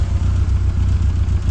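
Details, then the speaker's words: Kia Pride with carburetor out of tune: loud, deep, fast-pulsing high idle chugging unevenly; no vacuum lines on ported and manifold ports, hard starting, low power, heavy fuel use, late battery; fix planned: carb tune, ignition timing, vacuum lines. "Yan yung walang vacuum oh. Walang linya ng vacuum line sa ported at saka manifold."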